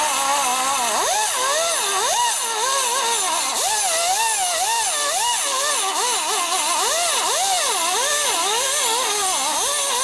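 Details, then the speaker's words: 1979 Harley 80ci shovelhead rebuild, boring a cylinder after a poor previous machining job: screaming cut whose pitch dips and recovers each turn, cutting heavily on one side only, so the bore is out of round and being trued. "Hear it hitting on it? See, it's cutting right here. Pretty heavy. And not hitting it all over through there."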